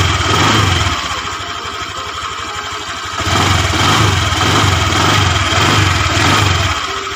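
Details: Honda Vario 125 injection scooter, liquid-cooled, after fix for radiator coolant spraying out, reassembled; steady even single-cylinder putter about three beats a second at idle, sounds normal.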